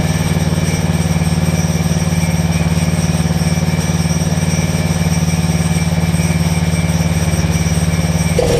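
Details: Generac 7500EXL generator with the low oil switch unplugged: steady drone a touch high, about three and a half beats a second, reading about 130 instead of 120; governed speed set too fast, overspeeding, throttle later backed off.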